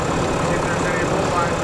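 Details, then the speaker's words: 2022 RAM HD with a remanufactured Cummins diesel replacing a catastrophically failed engine, first start: smooth, quiet, steady idle with no rattle or knock and no blowby; healthy engine. "Rand new comings boy she's quiet she's real quiet she doesn't have no rattle rattle bang bang"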